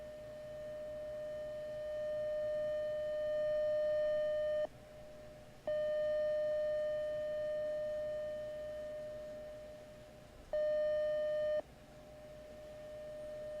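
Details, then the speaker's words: Elecraft K2 kit, 600 Hz CW side tone from a speaker on a long audio cable, held up to the mic above. Changing the tone changes the volume more than the tone, and the volume knob has no effect. A clean, steady pitch with short gaps and slight swelling. Side tone works. "It's actually changing the volume more than a tone. But that's your side tone for Morse code for CW. But it's working."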